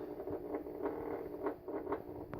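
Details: Steady low-mid electrical buzz with uneven crackling surges from old 4 ft fluorescent shop lights at 40 degrees: ballast buzzing as the cold tubes flicker and struggle to light, warming up slowly; they work fine in warmer months.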